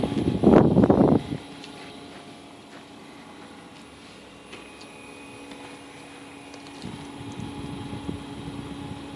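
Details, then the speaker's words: Carrier Greenspeed variable-speed heat pump outdoor unit (hybrid system with a furnace) in cooling mode, turned down to low speed: after a brief knock, only a soft, steady hum and gentle fan whoosh remain. Normal low-speed operation. "very quiet it's amazingly quiet these heat pumps are in some climates are more efficient than a ground Source heat pump"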